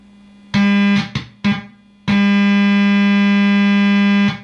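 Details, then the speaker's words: Op-amp Big Muff Pi clone fuzz pedal (Punk'n Pi), probed between R4 and C3 on battery power with the guitar input disconnected: loud steady buzzy low hum cutting in and out, then holding; the op-amp stage is oscillating. "oscillating okay so we have something suppose sadly wrong here"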